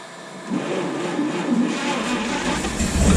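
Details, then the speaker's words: 1951 Chevy 1430 pickup, straight-six freed from being stuck after sitting since 1976, idle turned up: engine catches and keeps running on its own, smoothing as idle rises, no knocking; runs normally though the replacement fuel pump is suspected bad. "so i think that fuel pump i put on is no good either we're gonna have to find another fuel pump but at least she starts good look at that how could you not be pumped about this"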